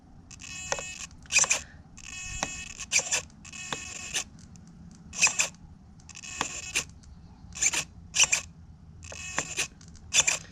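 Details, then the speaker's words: Throttle linkage on a modded .32 nitro RC with Savox servos, running rich at raised idle: short servo whirrs with sharp clicks about every second, linkage catching; owner suspects it pops on the linkage step, or possibly a receiver issue, unconfirmed. "I think it's just popping up on this uh this uh linkage step right here so I'll figure it out guys"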